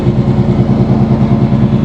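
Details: 1994 Chevy C1500 truck with a built V8 (BluePrint Engines receipt), 269,000 miles on the odometer, idling: deep, steady burble at idle with an even, loping beat and no ticks or knocks; runs healthy, with about 60 psi oil pressure cold.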